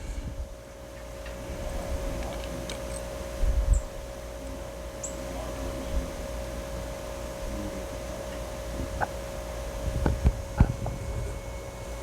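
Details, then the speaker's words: Nissan Titan XD Cummins 5.0 diesel after fuel filter change, ignition on: faint steady electric hum with bubbles as the lift pump primes about 30 seconds; fuel pressure normal, low pressure warning cleared. "You can hear bubbles. The fuel filter is changing. These prime for about 30 seconds. The fuel pressure sounds like it's sounding normal now."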